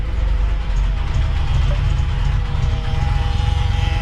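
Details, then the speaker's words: Early-1970s first-gen Honda Civic with a B16A swap, low on fuel: rough, loud engine rumble with a thin, buzzing whine from the noisy fuel pump; a suspected bearing noise is also present. "all right so i've shut it off because that fuel pump was just so noisy"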